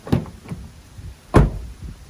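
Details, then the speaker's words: 2020 Toyota Tacoma door shut while checking for glass rattle. Two dull, deep thumps with no buzz or rattle trailing after, a solid, tight close. "nothing there that sounded uh pretty solid"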